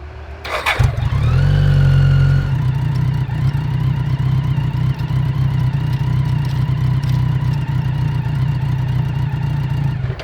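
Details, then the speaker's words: 1000cc mini trophy truck/kart: the engine starts with a brief squealing rise, then settles to a steady, slightly uneven low drone. Putting it in gear and releasing the clutch stalls the engine without moving the truck, as if stuck in two gears. Broken piece inside the transmission. "Oh yeah, it's stuck. Oh yes, leaking valve guides. Okay. It's like it's stuck in 2 gears. Really? Yeah."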